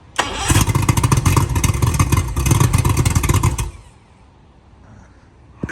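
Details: Project boat engine with about 100–110 psi compression on all cylinders: about three seconds of rhythmic cranking with no catch or rise in speed. Turns over but won't fire; owner suspects fuel delivery, unconfirmed.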